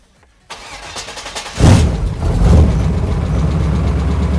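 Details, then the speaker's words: 1999 Suburban stroker engine, first start after swapping the high-pressure oil pump for a standard-pressure, standard-volume pump: brief crank, catches cleanly to a steady low idle; oil pressure briefly zero, then 40 PSI cold at idle, down from the old 50–60 PSI. "Okay, what are we looking at? 40. That's better. That's definitely better."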